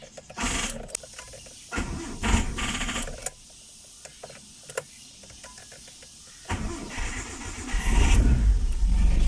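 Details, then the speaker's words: Mitsubishi Lancer starting for the first time after a timing belt replacement and crankshaft gear fix, with a weak 9.3 V battery. Sluggish, uneven cranking at about four turns a second before it catches; slow cranking suspected from the weak battery. "Mahina yung battery kasi natin na 9.3 lang, pero mabubuhay natin yan."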